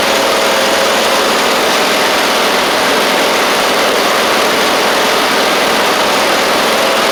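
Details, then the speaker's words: Husqvarna YTH24V48 mower with a different engine fitted after its governor broke again, started at mid throttle and then given a little more: a steady, even engine note with no misses, knocks or surging. Normal running. "all right one more little more throttle here sounds pretty decent that's pretty [Music] good pretty sure that's great"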